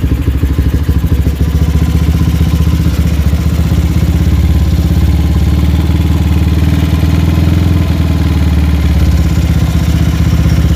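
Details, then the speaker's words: GL motorcycle with open brong exhaust, carburettor not yet tuned: loud, blatty idle that won't settle, revs drifting up and down once the engine is warm; unstable idle, with knocking when hot, cause not yet determined. "Oke dia itu sudah ketika mesin mulai hangat ataupun dia itu sudah menginjak musim panas stabilnya mulai tidak stabil ya naik turun naik turun"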